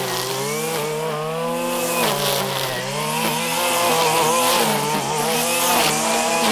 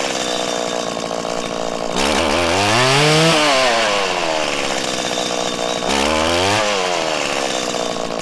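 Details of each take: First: 1997 Stihl Pro Series FS two-stroke trimmer cutting grass wide open: a high buzzing note dips briefly under cutting load and recovers quickly. It runs clean and strong, a normal tune. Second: 1997 Stihl Pro Series FS two-stroke trimmer during carburettor tuning: the low-speed screw set too lean makes revs stumble and break up on the ramp-up with a larger dead zone. It is then backed out a sixteenth.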